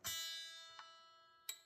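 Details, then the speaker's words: Partscaster electric guitar during setup, E string being tuned: three small metallic pings from the string binding in its nut slot. The fix is filing the slot slightly. "That sound. That's a telltale sign it's binding in the nut a little bit."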